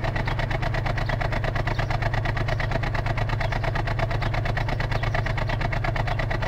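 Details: 2004 Ford Falcon XR6, 101,xxx km, cold start after sitting overnight: deep, uneven idle stumbling about three times a second for 30–60 seconds. Intake and exhaust gaskets, coils, plugs and fuel filter already replaced, compression tested; cause unknown.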